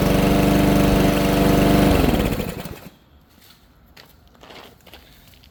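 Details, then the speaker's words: Troy-Bilt TB320 push mower, Briggs & Stratton 625EX 150cc single-cylinder, after tune-up with new air filter and spark plug for bogging and dying: smooth fast even beat for two seconds then winds down, running much better. "it's hard to tell on camera but yeah it's definitely running a lot better"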